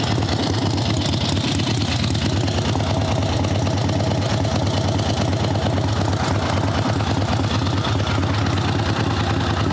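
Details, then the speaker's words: Evo Sportster at idle: upright it idles high and fast, steady lumpy V-twin beat; dropped onto the overbent kickstand it chokes for fuel from too much lean, not out of gas. "drop it down that's fuel it's choking it out it's not that it's out of gas it's just too much Chopper lean"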